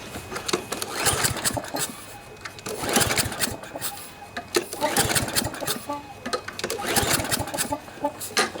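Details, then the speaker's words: Toro push mower with Briggs & Stratton 7.25 163cc OHV EX engine, cranked by pull cord with the spark plug cap off: puffing hiss on each stroke, suspected blown head gasket though it runs perfectly. "It's kind of a puffing sound. I don't know if you can pick that up on the camera, but you know, it sounds like it has a blown head gasket even though it runs perfect."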